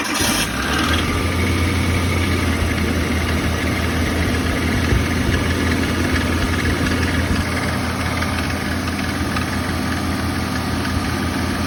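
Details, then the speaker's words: 1990 Suzuki Samurai at idle after water pump replacement; steady hum with rough whirring, first thought to be a loose belt but found to be the alternator going bad; alternator noise at idle. "That noise is. I don't like it though. I think it's the belt. Sounds like that belt's not on tight."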